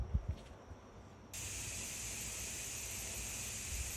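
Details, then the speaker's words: Pressure canner, first use: after a sharp click a steady, even hiss as steam exhausts from the top vent for the final minute; normal venting. "all right we're down to um exhausting for one more minute and I don't if you can hear it but it's definitely blowing out the top here you might be able to see the steam a little bit so we know it's working"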